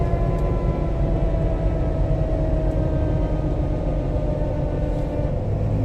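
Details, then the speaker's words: 2017 Jeep Wrangler JK, 30,000 miles, 37-inch tyres, front axle changed, on road drive: deep road rumble with thin whine whenever off the accelerator, coasting; loose rear differential ring gear bolts found. "okay so this is a 2017 Jeep Wrangler with 30,000 miles on it and the customer says that it makes a noise anytime he's not on the accelerator so we're gonna take it for a drive see if we can't hear the noise"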